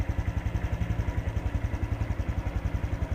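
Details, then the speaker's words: Honda Wave 110i motorcycle that was hard to start and stalled on throttle, after replacing the worn spark plug cap: starts first try, even, low idle pulsing about eight a second, revs without stumbling; normal idle. "สตาร์ทครั้งเดียวติดเลยเร่งไม่มีสะดุจเครื่องยนต์กลับมาเป็นปรกติ"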